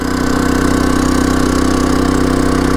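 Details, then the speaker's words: Champion 3400 dual fuel inverter generator under a 1200 W heater load on high, economy mode switched off: a steady even drone holding a constant high speed with no knocks or surging. Normal running at full speed. "Putting it on high, you can hear how that kicks up the RPMs. And even on high, it's still on the economy mode. Economy mode off."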